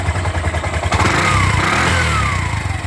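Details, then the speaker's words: Bajaj BS4 single-cylinder bike, reassembled after crankshaft problem; the noise began after an oil change: catches and settles into an even, steady beat with a quick rev blip; sounds correct now. "Okay ಆಯಿತು, ಇದು ಕರೆಕ್ಟಾಗಿದೆ."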